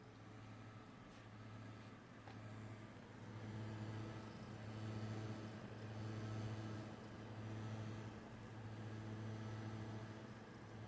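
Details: NVidia GTX 1660 Ti 6GB sagging in its slot: a low droning buzz (grinding coil whine) that swells and fades every second or two.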